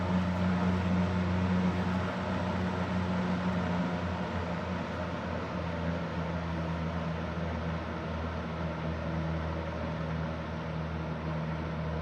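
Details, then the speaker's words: Restored Super Electric 14-inch box fan (1475) on slow speed, bearings leaking: steady low hum with loud airy rush, more noise than airflow; motor also whines audibly on every speed, especially high. "This thing is quite loud, like in all levels. Like it's it puts out more noise than air."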